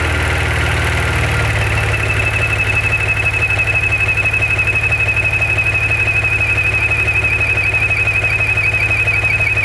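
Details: Maserati Ghibli SQ4, broken after 0-60 runs: at idle a thin high whine with fast even ticking starts a couple seconds after startup and stops when the dipstick is pulled; abnormal engine noise, cause unclear.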